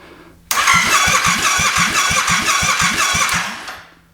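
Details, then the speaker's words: Yamaha FZ-07 700cc engine swapped into a Honda Grom, first turnover, no fuel yet, mic near the exhaust: starter cranks about three seconds with strong even pulses roughly three per second; good, even compression. "So you can hear that the engine has compression there. So that's a good sign."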